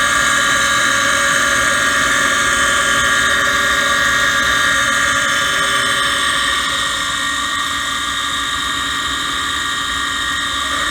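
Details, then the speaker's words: Gas furnace mid heat cycle, on a no-heat call where the indoor blower was not working: a loud, steady high-pitched scream over a constant motor hum. The inducer motor is failing and needs replacing. "all right so we're back and they are in the middle of the heat cycle before listening to that motor screen i hate to shut them down but uh need to get it fixed"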